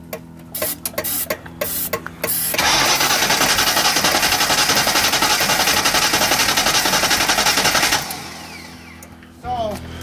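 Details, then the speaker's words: 1995 Ford Mustang GT revived after years off the road, in neutral, starting fluid sprayed into the intake: slow, even cranking at about four beats a second for five seconds but no firing; no spark is suspected. Cranks but won't start. "kind of a slow crank we should probably it has air it has it was it was sucking all this too no problem so it probably doesn't have spark for some there's a reason that it doesn't have spark well the good news is it cranks it does crank"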